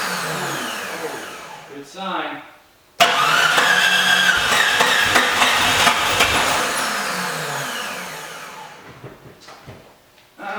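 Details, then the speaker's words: Jeep Cherokee that died after driving through a puddle, distributor just reinstalled, with low fuel: steady starter whirr at about four turns a second with scattered firing bursts that don't hold. Cranking and starting to catch; spark likely now, may need retiming. "Distributor's back in. I'm gonna go ahead and kick it over. I think everything's hooked up. So let's see."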